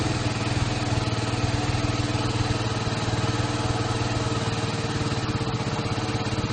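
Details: KTM Duke single-cylinder after fixing a no-start with false LCD errors caused by a low-charge or bad battery: steady, even thump with no misses or stumbles; normal running.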